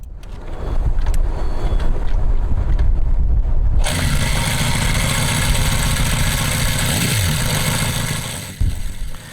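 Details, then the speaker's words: Honda Monkey-based CD125 four-cylinder engine, first start: catches and settles to busy fast idle with light quick top-end clatter; rocker arms could not be adjusted properly, causing valve train tappet noise. "ไม่เหมือนเมื่อก่อนแขนโยกไม่สามารถปรับได้อย่างเหมาะสมดังนั้นศีรษะจึงส่งเสียงดังเล็กน้อย"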